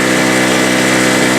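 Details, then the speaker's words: Harbor Freight Storm Cat 2-cycle generator that won't restart hot, started easily today: steady, even buzzing two-stroke drone at a constant high pitch with no misses or surging; running fine. "But she's running just fine now."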